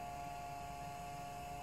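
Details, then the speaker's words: Renault Clio 4 xenon-style lightning LED headlight bulb with built-in cooling fan, just installed, lights on: faint steady mid-pitched whirring hum with no wobble or rattle, fan running normally. One high-beam bulb turned out faulty and will be replaced. "Diğerinin montajını tamamladık. Fan sesi geliyor."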